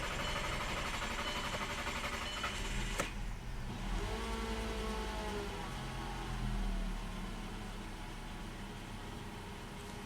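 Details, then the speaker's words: Mk5 VW Rabbit long cranking: starter churns several seconds before catching because fuel pressure drops to 0 psi after shutoff and must exceed 50 psi to start; pressure bleeding off, suspected pump check valve. "the car only starts or runs once the PSI, the pressure, goes past 50 PSI. But here's the kicker: as soon as you shut it off, goes right down to 0. And that should not happen."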